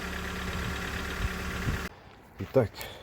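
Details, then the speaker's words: Mitsubishi Lancer X, 4B1x-family engine, knocking at cold idle, loudest on the left side. Light, regular knock ticking with idle, traced on teardown to heavy play in the exhaust cam phaser; the intake phaser has no play. "Вот она, собственно, и причина стука. Вот этот вот фазовращатель выпускной. Вот он, люфт."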